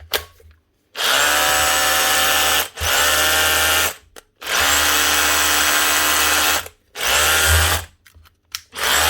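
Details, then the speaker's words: Makita DHR202 18V cordless brushed SDS drill from 2016, after its burnt-out motor was fixed with a new armature, brushes, brush holder and caps. Three crisp, steady motor whines: running normally again. "that's her up and running again not so bad 2016 machine"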